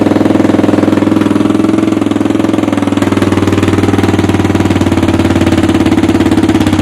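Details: 1986 Honda Foreman 350 ATV after carb cleaning, starts easy, given a little tickle with a screwdriver; single cylinder settles into even steady thump with no misses or rattles, normal healthy idle.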